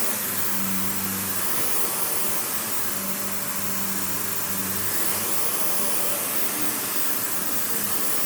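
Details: Panasonic upright, one of the last sold in the US, base plate refitted, bare-floor switch, auto height adjustment, brush roll auto-stops when upright: steady even motor roar with smooth airy hiss, no knocks or rattles; runs cleanly.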